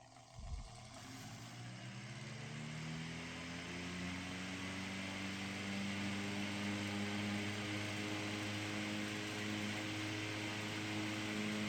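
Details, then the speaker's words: Restored c.1920 Frigid VA-1 10-inch fan, commutator resurfaced and new brushes fitted, little run since so not yet broken in; started then turned up to high, smooth steady hum rising evenly without rubbing or clicks; normal running. "I haven't run it much since uh resurfacing the commutator and getting the new brushes and all that so I probably need to actually run it a while to break it in but it is a very smooth run fan and turn it up to high"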